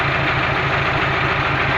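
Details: KamAZ diesel at steady idle: a dull, regular knock through the low rumble from a tight (seized) piston. It fades once the engine warms under load uphill and returns after idling.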